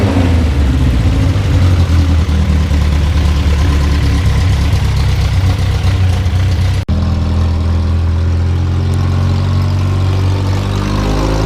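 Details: 1973 Volvo 142 SCCA race car, after warming up: deep even idle with clean rumble, then smooth climb in pitch when revved; strong steady running, no knocks or misses.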